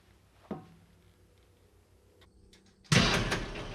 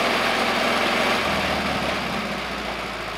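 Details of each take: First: Pony start motor of a 1950s Caterpillar 955 Traxcavator after fueling and oiling: two bursts of steady cranking with hardly a catch, won't fire because the fuel valve was shut off. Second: 1950s Caterpillar 955 Traxcavator pony motor, after an oil change and new spark plugs (previously needed ether to start): small petrol engine holds a quick, even idle that eases slightly toward the end, smooth and healthy; normal idle.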